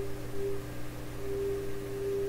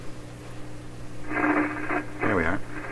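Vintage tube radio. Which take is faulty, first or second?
second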